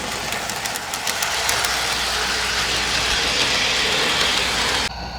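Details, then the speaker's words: Lionel LionChief starter set engine on track section without carpet underneath: fast steady metallic clicking over rail joints over a loud hollow rumble, undamped roadbed drumming; carpet fibers inside roadbed greatly reduce this hollow sound. "You still have metal wheels on metal rails, so there'll be plenty of noise as your train runs around. But that hollow sound from the inside of the roadbed is greatly reduced by having the fibers of the carpet nestled up inside."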